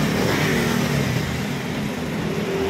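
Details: Yamaha NMAX 155 at 77,000 km running smoothly with no valve tapping after its first tune-up, having been noisy from excess valve clearance; chain tension was good.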